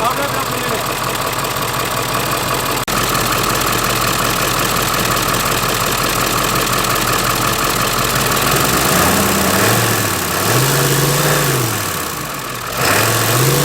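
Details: Ford 7.3 diesel van after a vacuum pump replacement and serpentine belt refit, earlier suspected belt noise: smooth, even idle with a steady diesel clatter and no odd noises; normal idle.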